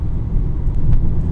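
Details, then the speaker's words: Renault Megane 4 on 205/55 R16 tyres, driving at speed with all windows closed, inside cabin: constant deep low rumble; excessive tyre and road noise entering through weak insulation. "Abi baksana ne yol tutuyor, ne yol sesini susturuyor. İçeri bayağı geliyor ya. Tüm camlarım kapalıyken geliyor bir de abi."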